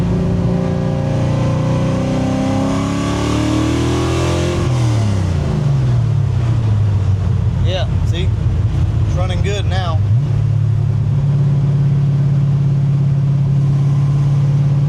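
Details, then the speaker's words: 1965 Grey Ghost V8, accelerating after the misfire cleared: pulls cleanly through two shifts, then a steady even drone with no miss; owner thinks it needed to clean the plugs off, suspects oil fouling from a valve guide. "okay so now it's back running good again see what I'm saying it's like it needs to clean the plugs off from what I can tell right now it's doing okay"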